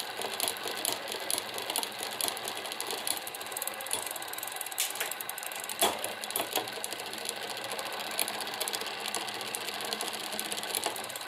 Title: Tern Verge P20, post-cleaning rattling noise in derailleur